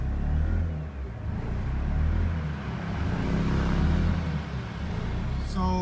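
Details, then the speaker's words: Mazda RX-8 rotary, check engine light flashing, after shooting flames and overheating: lumpy low rumble sags and stumbles instead of climbing with throttle held, bogging and misfiring; later regains strength; owner suspects blown apex seals or head gasket. "now i'm holding the gas down and this is what it's doing if the car wasn't done then i think it is done now"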